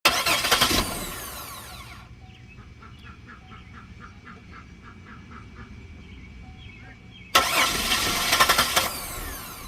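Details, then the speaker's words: 2008 Buick crank-no-start: two spells of fast starter cranking with a pause between, and the engine never catches; a failed fuel pump relay that is under recall means no fuel is reaching the engine. "so if you have a crank with a no start the 2008 Buick lacrosse we have to do is you have to jump these it's there's a recall on this relay has a recall on this relay it's a fuel pump relay"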